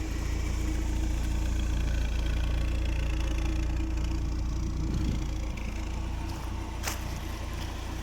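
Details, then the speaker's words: 1993 BMW 318is (E36) petrol four idling smoothly and quietly with no top-end tick after fix: tick was caused by leftover old oil pan gasket piece letting air in; new motor mounts also fitted. "I'm just going to start it up let you guys hear it so here now actually runs really quiet"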